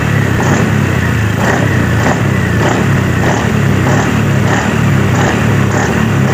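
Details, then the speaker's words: 2018 Honda Scoopy after new CVT clutch shoes were fitted: an even engine drone with throttle blipped in regular surges, and no rattle on take-up. The earlier metal-on-metal clatter is gone and the CVT runs normally. "jadi saat kita tarik tuas gas sekaligus itu sudah tidak ada suara tak truk"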